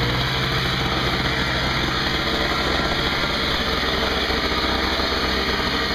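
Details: Craftsman 5hp 21" two-stroke snowblower after carburetor repair (leaking fixed), 20:1 fuel mix: steady high buzzy drone at constant speed, no misses or surging, no leaks; running normally.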